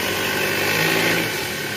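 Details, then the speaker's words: Toyota Alphard engine at idle after replacing the old tensioner, which had been making a growling noise: smooth, even hum with steady belt whir, no growl or rattle; the new tensioner no longer vibrates, a normal belt drive. "ini tensionernya enggak getar kayak tadi ya"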